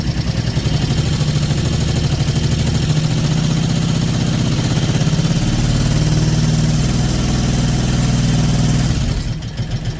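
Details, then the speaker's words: 2009 Brute Force 750 ATV revved slightly while checking charging voltage: single-cylinder engine held at steady raised revs, firing evenly with no knock or miss; charging system fine. "so I'm going to rev it up a little bit"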